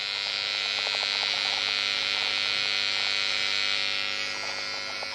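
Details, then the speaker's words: Behringer Eurorack UB1002 mixer, before recapping, heard near the speaker: steady hiss with a faint buzz that stops when switched off; noise floor blamed on cheap, dried-out electrolytic capacitors; electrical hum and hiss. "that's the noise floor on the Beringer you know you would have thought that was the valves making that sign"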